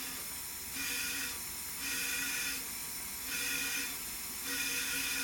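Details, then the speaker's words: 1974 Jaguar XKE E-Type V12 on a leak-down test, cylinder 4A pressurised: air hisses loudly and steadily out the exhaust on the other side, pulsing about once a second, a leaking exhaust valve meaning the cylinder head must come off. "Now, as I put pressure in this cylinder, you can see the gauge again, where the gauge is up to. You can hear the air coming out of the exhaust on the other side."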